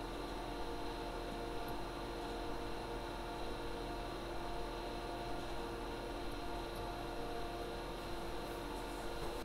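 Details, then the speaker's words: Server and ARAID 3500 backup drive running after replacing the backup unit's stock fan with a cheap fan: low, steady hum with a soft fan whir and no rattle, whine or grinding; ambient noise noticeably reduced. "for 9 bucks we brought down the ambient noise quite noticeably here in the production studio"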